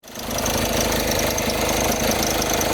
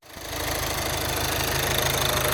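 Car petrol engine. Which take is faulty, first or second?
first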